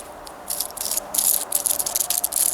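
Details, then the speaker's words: Ford 800 tractor front wheel hub, old tapered roller bearing spun by hand after removal; dry gritty uneven rattle versus a nearly silent new bearing; old bearing worn out, junk, little grease found, needs replacement. "that's the brand new one here and remember how nice it rolls hardly any noise this is that old crappy one"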